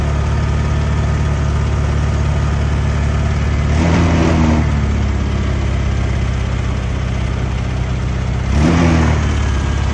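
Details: Honda Click 125 scooter: rough idle, then bogs and chokes on throttle blips and dies instead of revving cleanly; trouble codes checked via battery-area socket.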